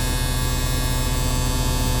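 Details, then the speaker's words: Truck not run in months, idling after start: steady unbroken low buzz over the engine, the low air pressure warning while air builds; oil pressure good, buzzer cuts off around 60 psi and pressure keeps rising. "the air pressure is now going to be rising and that buzzer will cut off when it gets to about"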